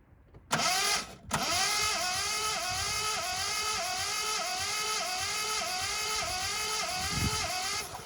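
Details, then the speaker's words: 1979 Ford Capri Mk3 3.0 Ghia, manual, barn find unrun for about 20 years: cranking with plugs out for a compression test, a steady rhythmic starter whirr with no firing; some cylinders read a little low, attributed to long storage. "went around with a compressor tester and tested each of the cylinders to understand what compression they all had. That one there was one of the better ones. Some of them were a little bit on the low side."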